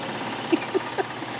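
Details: 1997 Ford Coachmen campervan with a Triton V8, idling: sharp, regular knocks about four times a second over the engine hum. The knock returned about two days after the camshaft, lifters and rocker arms were replaced.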